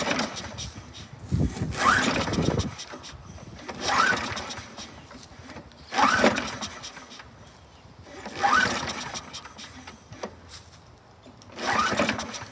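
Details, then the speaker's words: 2002 Toro Super Recycler (model 20037, engine 123K02) with a replacement recoil and little gas: repeated pull-start bursts, the engine coughs but never keeps running. Primer pushes only air, no fuel reaching the emulsion tube. "okay there we go I'm pushing air with the primer bulb I can hear it no it's not pushing fuel"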